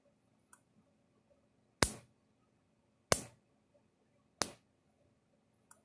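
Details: Universal 6000 solid-state electric fence controller (older model, 6-volt supply) after repair: sharp, even snapping clicks about every 1.3 seconds, one per spark pulse, over a quiet darkened room; the charger is firing normally.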